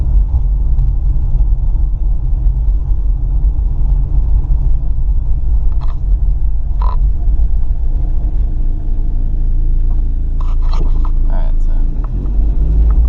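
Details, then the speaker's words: 1996-2000 Toyota RAV4 3S-FE driving after the exhaust leak was repaired: low, smooth rumble with no puffing or ticking, much quieter; exhaust sealed, normal exhaust sound. "all right so here's the after sound of what it sounds like much quieter a little bit why it as a cat pretty quiet night"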